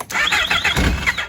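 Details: Yamaha RX1 1000cc four-stroke sitting 6 years, after ultrasonic carb cleaning, battery freshly charged: quick bursts of cranking with sputtering and no steady firing; carbs still dry, it fires once fuel is added.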